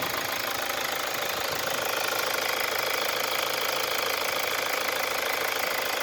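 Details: 2017 Mazda CX-5 2.2 diesel, 58,000 km, just started: hard regular knock-like clatter about three beats a second over a bright hissy running sound at idle; strange engine noise, cause not stated.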